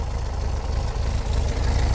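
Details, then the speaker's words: 1968 VW Type 3 Fastback air-cooled engine, cold, just reinstalled with IRS subframe: low steady putter with an even beat and no misses or knocks; it idles normally and is just cold. "The good news is it's running. It's just cold."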